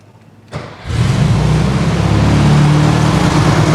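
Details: Warm restart of a new 1600cc engine in a 1968 VW Karmann Ghia during break-in, oil pressure 25–30 psi warm, lower idle set: quick crank, catches first try, settles to steady even idle, no squeaks or rattles; normal start and idle.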